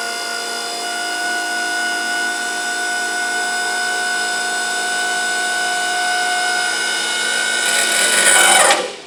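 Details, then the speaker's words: Electric-hydraulic pallet stacker after rewiring with larger wire, lifting forks about 10 feet: steady whine turns harsher near top before cutting out, owner says pump running out of fluid 12-16 inches from top; pump strain near full lift. "there you go you can hear the pump running out of uh running out of fluid there but we are about 12 maybe 16 inches from the top"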